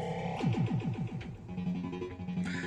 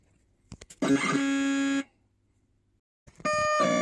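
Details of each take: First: all the sounds are now working perfectly Second: Williams Space Shuttle pinball, System 9 CPU board under repair, sound test with known-good CPU and ROMs fitted: short bursts of harsh electronic tones, silence, then garbled noise as the sound cuts out; board still crashing, fault elsewhere.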